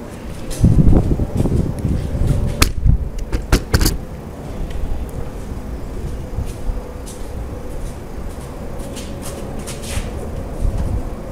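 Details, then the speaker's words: Peugeot (Bipper) with the engine running. The steering is turned right and left while listening at the right front. A few sharp, irregular clicks, then near silence; something loose in the right front is suspected, exact part unconfirmed. "تو عملت لكم دورة الدركسيون يمين وشمال في الجهة الشمال، تو ركزوا على الجهة اليمين."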